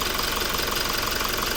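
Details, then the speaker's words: Toyota Revo diesel, about 140,000+ km on the odometer, idling after intake manifold and EGR cleaning: fast, sharp, even clatter over a steady low hum, loud throughout; louder than the first-generation Revo, injection knock, no clear fault. "เนี่ยฟังเสียงไว้เนี่ยมันจะดังแต่ๆๆๆๆๆๆๆๆก๊อกแล๊กๆๆๆๆอะไรอย่างงี้เต็มไปหมดเลย"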